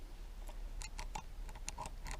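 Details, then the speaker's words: Three-year-old Stihl MS362 chainsaw, crank turned by hand, engine stripped: uneven gritty clicks and catches from spalled, blued crank bearing surface under the clutch drum, worn undersize; smooth elsewhere; rough crankshaft bearing surface, saw written off. "Feel how rough it, hear how rough it is. I hope the GoPro's picking that up. Here it's smooth, this is how it should be."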